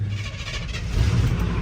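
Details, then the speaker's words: 1989 Chevy K1500 with 350 V8 at idle: faint regular tick or knock under the rumble, unclear whether top-end tick or knock; checked by stethoscope, engine to be swapped. "it's got a little bit of like an engine tick or knock we're not too sure so we're going to dive in later and figure that out"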